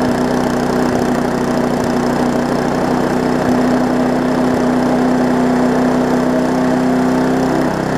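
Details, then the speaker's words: Briggs & Stratton Classic push-mower engine on a Hyper Tough deck, known to vibrate: runs steadily with a few uneven thumps, slightly rough; the owner thinks it is set a bit high on throttle and vibrating, so he plans to back it off. "it's vibrating some I would say I think you got it running just a little bit on the hot side"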